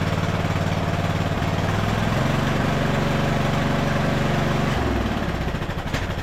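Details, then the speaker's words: Craftsman LT1000 riding mower after a carburetor rebuild with the needle and seat no longer leaking. It fires with a rough, wavering, lean putter. Cause: the mixture screw was misadjusted; it was richened about a half turn. "right. I just had to add a little more fuel. I think we went out like, what, a half turn or so? These weren't adjusted right."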